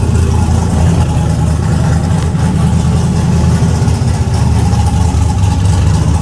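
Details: Car "Fancy" after a 6.2 LS swap replacing a 406 SBC with an out-of-balance Scat crank: deep, steady V8 idle that stays even with no stumbles, misses or knocks.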